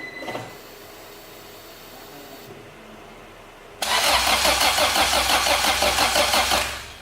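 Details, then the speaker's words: Acura Integra crank-no-start: steady even cranking about three turns a second for nearly three seconds, never fires; fuel pump primes, but test light shows no spark at the plugs or at the ignition coil. "all right so I got no spark at the plugs and I got no spark at the ignition"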